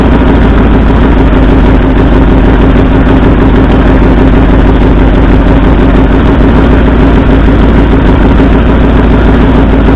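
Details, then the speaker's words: 1964 Ford F100 V8 idling loud and lumpy; cylinder contribution test pulling plug wires found no RPM change on driver-side front and passenger-side second cylinders, two cylinders not firing, carbon on passenger-side tailpipe, cause unknown. "Alright, so what we found, this cylinder here, driver's side, the front one, had no response when I pulled the plug wire, and the second cylinder back on the passenger side, also no RPM change. So it appears we have two cylinders that aren't firing."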